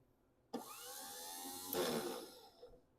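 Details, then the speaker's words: Yale 4,000-lb forklift, starter fed directly from battery bypassing the solenoid. Clean high whine spins freely with no cranking thumps; starter turns but pinion doesn't engage flywheel, suspected starter fault, to be bench tested. "So there we go. We got the starter is spinning, but it's not engaging. It's spinning just fine, but when it spins, there's a gear that's spinning that should pop out and engage the flywheel, and that's not happening, which leads me to believe there's an issue with the starter itself."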